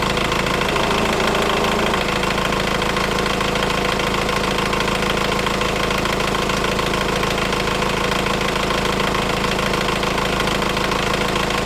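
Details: Engine idling: fast, fairly even metallic rattle about two per second over steady idle, persisting over 3 minutes after start, even when revving; timing chain stretched and tensioner collapsed.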